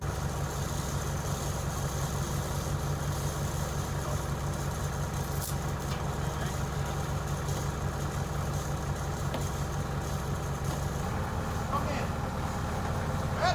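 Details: Yale forklift with propane 4-cylinder Continental flathead engine after sitting years; low steady idle with soft, slightly uneven pulses and no knocks or squeals; normal idle.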